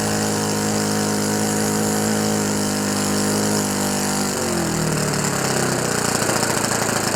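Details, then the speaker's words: Rebuilt OS FS 91 Surpass 15 cc four-stroke methanol engine, epoxy-repaired exhaust and crankcase, first start on about a 14x7 Graupner prop: loud steady buzzing drone that sags and turns rough; set very rich for ring break-in. "Et le voilà. Il a pris vie. Bon, il est très riche."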